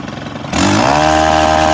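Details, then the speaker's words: STIHL FS 131 R four-stroke trimmer after repair (wouldn't idle or run past half throttle, new carburetor already fitted; cause a tiny hole in the valve cover): sharp snap then buzzy, even tone climbing and holding steady; running normally. "Let's zoom in here and get this thing cranked back up, and just, it's gonna run like a dream now. Who would have thought that a minuscule hole in the valve cover would cause this not to run?"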